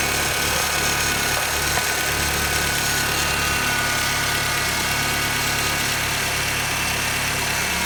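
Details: 2006 Honda Civic EX at idle: rough, hissy grinding over the engine hum, starting shortly after start-up and lasting seconds after shut-off; VTEC solenoid, alternator, belt tensioner, cam/crank sensors, power steering pump recently replaced; source unknown.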